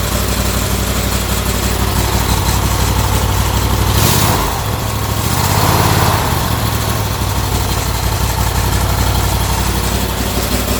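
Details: Turbocharged small single-cylinder go-kart engine (about 25–26 hp, 2–5 psi boost, no boost reference regulator, timing advanced 5–10°). It runs at a steady, even idle with a brief rev blip, firing smoothly with no knocks or misses: normal running.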